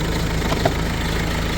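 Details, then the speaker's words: Peugeot 3008 that wouldn't start after a battery change: it now catches and settles into a steady, even low idle with no knocks or misses. Fixed by removing and refitting the battery fuse, then clearing faults. "guys I don't even know what I done to fix it but I literally just took it apart put it back together and it's fired"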